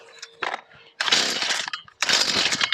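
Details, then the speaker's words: Stihl FS 38 two-stroke trimmer on choke after priming, running low on fuel, fuel hose bubbled last time: two short sharp bursts catch briefly and die, first firing on full choke before moving choke to half. "there we go once it kicks like that just take the choke halfway"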